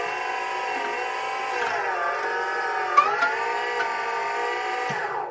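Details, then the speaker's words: Diesel 4x4 JLG man-lift whose hydraulic system was completely drained and refilled (15 gallons added, level still low), driving around: a steady high pump whine that wavers and sags in pitch with load. This is air bubbles still working out of the system after the refill. "sounds like we might be running out of hydraulic oil no I don't think so sometimes it takes a while to run all the bubbles out of a system like this that's been completely drained"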